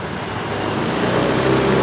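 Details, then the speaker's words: Honda Beat eSP scooter that stutters when riding after another shop replaced rollers: at start-up with throttle closed, idle climbs steadily over two seconds; high idle from a misadjusted throttle position sensor. "ketika saya hidupkan tiba-tiba langsam dari motor ini langsung tiba-tiba naik seperti ini"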